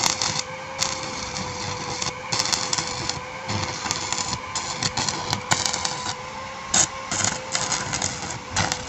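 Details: Repaired Blackfoot 350W/120A welder (4060 and PTC replaced) welding with 2.6 mm rod at about 70 A: steady unbroken crackling sizzle with faint constant whistle underneath; welder running normally.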